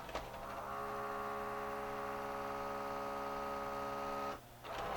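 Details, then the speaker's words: Mid-90s Mitsubishi HS-U760 S-VHS VCR that won't take a tape: the loading motor whines at constant pitch for about four seconds, mechanism not moving. Slipping loading belt; fixed with a new belt and a cleaning. "that's not good sounds like the loading motor's slipping"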